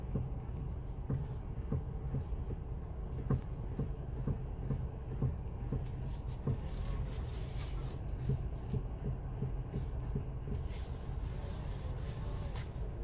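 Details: FIAT 500X with 49k: dull low knocks repeat about every half second as the wheel is worked, a clunk in the steering column, probably the steering intermediate shaft (unconfirmed); a recall covers this issue.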